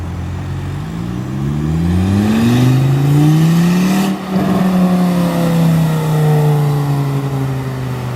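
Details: Volvo S40 T5 2.5 L inline-five, full-throttle pulls: a very loud raw rasp climbing in pitch, far louder than a sealed system, from an exhaust leak at the flex pipe bolted to the turbo.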